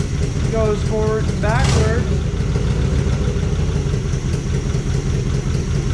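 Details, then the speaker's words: 1955 DeSoto Firedome Hemi V8, first start after decades in storage, running on its own fuel tank: loping, uneven idle with a regular stumble, missing on a cylinder. "so that's interesting to me because we weren't getting a bunch of backfiring we had one backfire on a on a start attempt but other than that it just seemed like it was off on cylinders so we switched them around"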